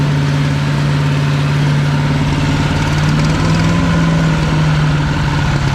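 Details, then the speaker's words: PowerMate 212cc wood chipper single-cylinder engine after clearing tangled material from the chipper: smooth, steady drone at constant speed with no knocking or bogging; running normally, repair works. "yeah guys so this thing do work um I call that a fix"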